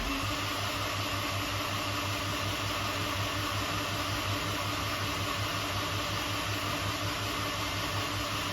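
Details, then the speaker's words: F24 engine in a car, dry crank on the new motor before its first start: no spark plugs, fuel injectors unhooked, no belt. Steady smooth whirring crank, no firing or compression thumps, no knocks; spinning to build oil pressure, which comes up normally. "we have no spark plugs fuel injectors are unhooked we do not have a belt but we're going to go ahead and get oil pressure see how she sounds good it can take a while"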